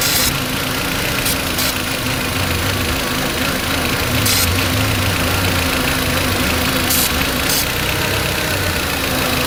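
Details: Volkswagen Beetle engine with rough idle and check engine light, cold, idling: short spray hisses, revs climb slightly when spray hits the leaking vacuum line at the brake booster.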